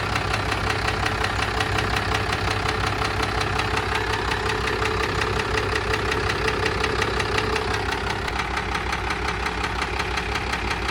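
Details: Cummins 12-valve diesel, battery on a charger, started to demonstrate its knock before teardown; a hard, even knock at about 167 per minute rides over the idle. Deep internal knock, cause not yet found.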